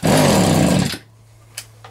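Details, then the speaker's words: Vintage Echo two-stroke strimmer after carb needle adjustment: snarls under a second, pitch wavering, then dies. Owner finds nearly no compression, as if there were no plug in, and plans a piston rebuild; low compression, lean running. "there's nearly no compression there at all that's just that's just easier so much as if there's no plug in it"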